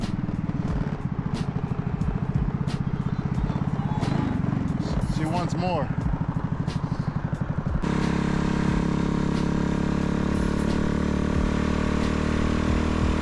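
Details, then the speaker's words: Riva 125 scooter on its first ride after a Gensuki build, pulling under throttle: steady low exhaust rumble rising and falling evenly, loud but not obnoxious, smooth with no knocks or rattles; normal running while riding. "This thing is surprisingly very smooth. Loud, but it's not like a obnoxious like loud. It's just like, I don't know, it sounds good."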